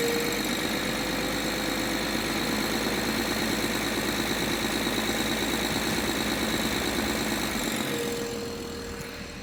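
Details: BMW N53 engine at idle: a light metallic rattle ticking about three times a second over the engine hum; source not pinned down.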